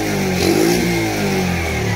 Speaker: You gotta give it a little gas. It's alive!